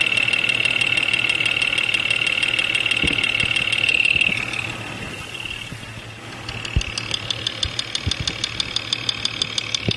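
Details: Jeep XJ Cherokee 4.0L at 175,000 miles, intermittent knock mostly when cold. ChassisEAR on the injectors hears sharp ticking about three per second over a steady idle, loudest at cylinder 5. Suspected dirty injectors causing lean knock, or piston slap; unconfirmed.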